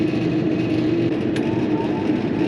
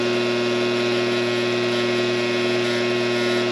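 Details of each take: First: Coleman Presidential II furnace in a mobile home, after cleaning out a seized motor: steady even blower whoosh with faint constant hum, no rattle or squeal; kicks on with thermostat, running normally after repair. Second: Coleman Presidential II furnace blower motor, cleaned and greased with synthetic grease, bench-run on a cord: steady loud hum with buzzy rough edge; runs noisy, shaft has slack, owner suspects worn bushings.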